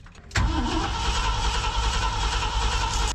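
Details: 1990 Ford F600 carbureted box truck after backfires, coil wire connector checked: steady even starter cranking about three seconds, never fires; cranks but won't start, cause not found.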